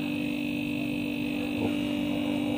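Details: Refrigerator that was not cooling, compressor only clicking, after replacing the overload protector: smooth steady hum with constant whine, no clicking, stalling or surging, current 1.0–1.1 A; normal compressor run.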